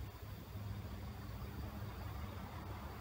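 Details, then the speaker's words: 16-inch Sharp electric fan after replacing a faulty capacitor that made it spin very slowly: steady, even low hum and soft air rush with no knocks or wobble, now faster and stronger than before; running smoothly. "สึกว่าจะไวกว่าเดิมครับจะแรงกว่าเดิมครับ"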